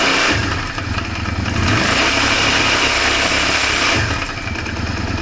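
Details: Yamaha Drag Star 400 (VH01J) V-twin: uneven, fast tapping at about four per second runs through the idle; abnormal noise from inside the engine, cause unclear.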